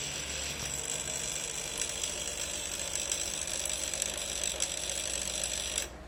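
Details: Air conditioner: a dry, fast ratcheting tick runs steadily for several seconds over a faint hum, then the unit abruptly stops; strange ratcheting noise before shutdown.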